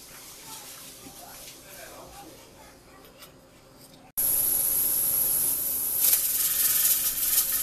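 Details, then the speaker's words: Pressure cooker on stove dyeing puzzle parts, burner at 6: sudden loud steady hiss with rattling edge; venting because heat is too high, turned down to 4 to avoid water loss. "So that's what it looks like and sounds like when the temperature is a little bit too high and it's venting."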